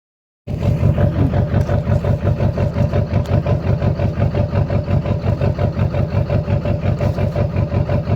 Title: Lly misfiring